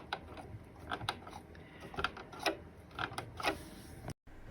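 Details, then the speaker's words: Casio electronic keyboard before the lubrication fix: keys clack and creak unevenly when pressed, with a dry plastic squeak like a creaking floor. "here's how the key sounded before i fixed it i fixed one small section just to demonstrate um how it improved with the lubrication"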